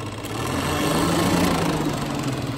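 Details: Peugeot 406 with XU10J4 engine (complaints of oil leak and overheating), radiator cooling fan newly rewired through a relay, switched to high speed: loud steady rushing whoosh over engine hum, swelling slightly then holding even; fan works properly.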